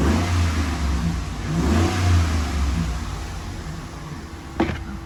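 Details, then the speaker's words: 2013 Ram 1500 at 75,000 miles with hood up, just after a Volant Powercore intake install; deep smooth exhaust note swells under a rev blip and settles evenly, no knocks or rattles, sounding about normal. "Sounds about normal, so doesn't really add much interior sound to the truck if you're worried about that."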